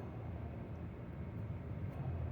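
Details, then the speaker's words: 2013 Chevrolet Silverado, belt removed, pulley spun by hand: faint, low, uneven rumbling growl from one pulley, indicating a worn pulley bearing; candidates were alternator, water pump, A/C or tensor. "se escucha un ronquido, definitivamente va a ser esa, amigos."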